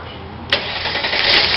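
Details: 1998 Mercedes ML320 with crank-no-start, no-spark fault: with power supply bypassed, engine fires at once and settles into steady run. Normal start.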